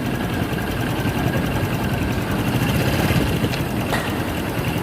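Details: Engine at rough idle with an irregular light knock under the engine note, about three a second; the mechanic disassembled the whole engine three times chasing it, source not pinned down.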